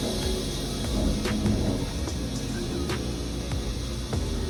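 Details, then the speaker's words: Wood-Mizer WM4500 sawmill engine cutting an oversize log (biggest at least 45 inches) beyond maximum capacity under computer-controlled feed during blade comparison: heavy strained drone with occasional sharp clicks, blade stressed yet cutting cleanly. "seems like it's stressing that blade quite a bit. The way it's pushing it, you can hear it. But it's cutting really well and cleaning that wood up."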